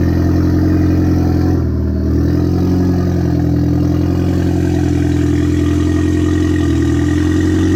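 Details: Audi A4 2.0T FSI, freshly rebuilt with JHM K04-R turbo kit, first startup before warm-up: steady even idle, smooth low hum, one brief dip in tone, injectors quiet, no squeals, ticks or knocks. Normal idle.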